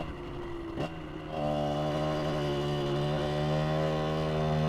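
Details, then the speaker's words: 2003 Aprilia RX 50 two-stroke project bike with oversized pipe, after rejetting: burbles unevenly at idle, then hesitates before pitch climbs and steadies; lean bog off idle, lost low-end grunt, jet suspected too small, ignition also suspected. "It lost some grunt down low. So maybe that jet was was a bit too small. Yeah, it definitely lost some grunt here."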